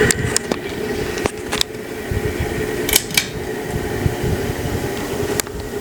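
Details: Antique brass Harbor Breeze Marco Island 52" ceiling fan in a vacation-house bedroom, filmed July 2023: steady motor hum and whir with a few sharp ticks and clicks; very noisy humming whenever it runs, though still usable.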